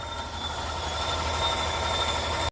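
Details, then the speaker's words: 2021 Ford F-350 6.2 L V8 at idle: steady high squeaking whistle over the idle, unchanged with AC on, caused by a foreign object in the engine bay. "Ladies and gentlemen, it's a 2021 Ford F-350 with a 6.2 liter V8, and it's making a weird noise. What the hell is that squeaking?"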